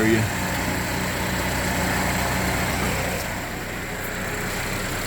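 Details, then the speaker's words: GMC Terrain with code P0011: steady, smooth hum with no ticking or rattle. It sounds good. "right it sounds good um I'm going to give it like 3 minutes let everything circulate and then I'll hook the scan tool up and see what I got going on"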